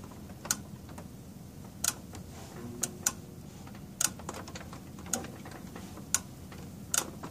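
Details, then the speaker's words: ViewSonic 17 SVGA CRT monitor, last working about eight months ago before being moved, powered but apparently showing no raster: faint sharp ticks about once a second at uneven spacing. Suspected loose internal connection disrupting power or refresh-rate switching. "definitely some kind of bad connection in there causing some sort of malfunction with I don't know the power the auto-ranging you know refresh rate switching sort of things something's going on in there"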